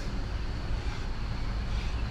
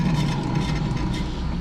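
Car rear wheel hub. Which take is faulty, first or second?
second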